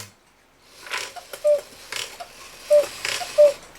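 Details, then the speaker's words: 1969 E. Schmeckenbecher Black Forest cuckoo clock, West German movement, long unused: a few thin, wheezy cuckoo notes, weak instead of crisp. Its stiff leather bellows have a hole in one, maybe both, and leak air. "let me see about putting the hand back on and see if this thing will even cuckoo those little wimpy like I say we do have a hold in the one maybe in both of"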